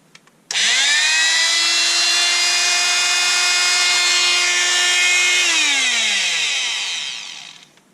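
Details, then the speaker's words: Einhell multitool that had stopped working, run after the repair: a steady, even high whine holding pitch, then winding down smoothly when switched off. The motor is running normally. "it appears to have come back to life"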